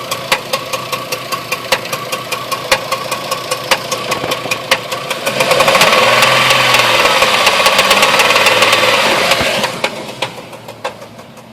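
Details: 2004 Jeep Liberty automatic 4x4: steady sharp knocking, about two and a half per second, over the running engine, started suddenly and persists through a rev; engine knock, source unknown.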